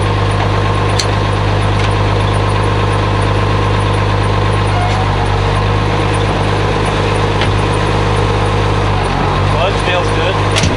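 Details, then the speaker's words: 856 diesel tractor at farm auction, takes all gears; steady deep diesel beat with no knocks or misses, even and strong throughout; normal running. "that's good good sounding tractor 856 runs sounds good takes all gears"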